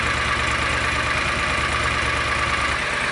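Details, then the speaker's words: John Deere Gator 625i UTV after the DIY auxiliary muffler install; even, steady idle with a soft low beat and no knocks or rattles, subdued exhaust, average stabilized around 82 dB. "but not sure if you guys can see that, but it's actually kind of stabilized right around 82, creeping up a little bit."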